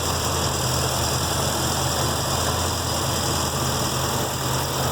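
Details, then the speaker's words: 1966 Mustang V8 with a newly installed MSD Atomic EFI, running rich until about 145 degrees, diagnostics reading okay: a smooth, even idle with a steady low rumble, no lope or ticking, and instant throttle response; normal idle. "And overall, it sounds pretty good. Seems to have some pretty instant throttle response, so that's good news."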